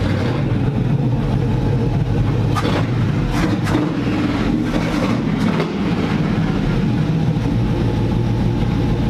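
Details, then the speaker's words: NASCAR (Tide car) V8 being supercharged, with Pro Billet MSD distributor and old MSD 6T boxes/Blaster HV coils, test drive with no hood: rough, breaking up under load with sharp backfire pops. "Something ain't right. So took it out for that test drive. It was misfiring, breaking up, backfiring."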